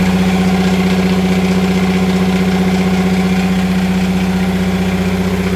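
Steady idle with a regular, quick rattling pulse, about four a second, riding on the low drone; rattle from the outdrive, cause unknown.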